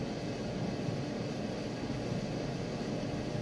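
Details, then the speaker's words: Maytag Bravos electric steam dryer, freshly stripped, greased and reassembled, running on medium heat: steady, even drum rumble with a low hum, no thumping, squeal, scraping or shakiness; dryer running smoothly, heating to about 162 inside. "And there it is. Sounds good. There's no shakiness or anything like that."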